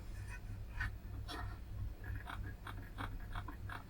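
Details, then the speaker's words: i-Joy Xtreme Sound soundbar bass speaker: irregular dry scratchy creaks over a low steady hum as the cone moves; the driver itself is creaking, replacement requested. "Hi, Richard from IFPLMSB, explaining the speaker unfortunately isn't good. I'm not sure if you can hear that, guys, but it's making a creaking noise."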